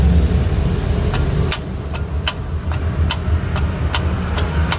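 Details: 2014 Toyota HiAce Commuter, battery above 13 V: sharp repeated clicks, about two a second, from the starter with no cranking, sometimes starting fine; the fault was worn, pitted starter solenoid contacts.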